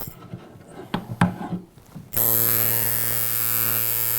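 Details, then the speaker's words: Coil tattoo machine shader being retuned, front spring O-ring removed, speed dropped from 130 to 114 cycles per second: steady low buzz, but springs remain too stiff, creating resistance that needs more voltage. "The problem is the springs are still really stiff. So what that's doing is it's creating a lot of resistance, and the more resistance you have, the more voltage you need to make the machine do its job."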